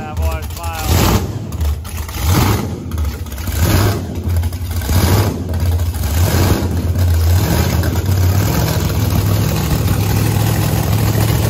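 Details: Loud, deep V8 rumble with a few sharp throttle blips, settling to a steady idle. Fired up after fixes including welded-up headers and a vented race tank. Runs clean and healthy.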